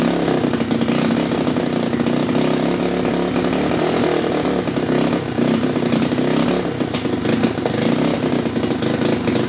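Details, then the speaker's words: 2015 Honda Grom with custom exhaust and intake, won't idle: stumbling, popping, sputtering and backfiring, then dies; spark plug gap nearly closed (spec 0.031–0.035 in); misfire. "all right so my little Grom here doesn't want to idle"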